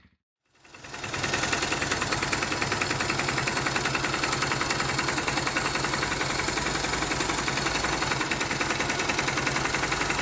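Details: Honda GL Max Neotech motorcycle engine before teardown, owner complaint of rough noise, oil seepage, possible low compression: rough idle with busy sewing-machine clatter about three ticks a second from head and clutch area; stiff timing chain link and scored rocker arm.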